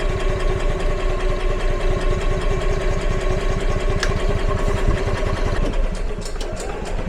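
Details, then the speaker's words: EZGO gas golf cart that never ran right, stored for a long time and unused for about a year: uneven, lumpy running at two to three pulses a second with stumbles and surges, carb still filling; rough running, owner suspects fuel delivery or the carburetor. "sounds like it's struggling for gas still but let me take a minute for that carb to fill up"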